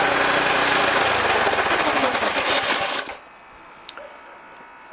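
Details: TruCut reel mower after broken chain replaced and chains rerouted so they no longer rub on each other: small engine runs steadily with an even quick rhythm and no chain slap or rattle, then shuts off cleanly.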